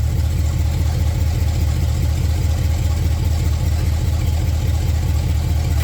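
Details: Open-header engine in a Datsun build, first time it has ever idled since install, warming toward operating temperature: deep, even idle lope with no misses or knocks, fairly quiet; idle improves as it settles.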